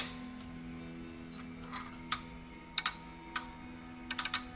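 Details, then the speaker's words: OsaiRing I/O module relay output test: crisp sharp clicks over faint bench hum as the relay energizes when pin 1 is pulled to ground, LED lighting; normal working output. "that relay clicking? That relay's energizing when I pull pin 1 to ground."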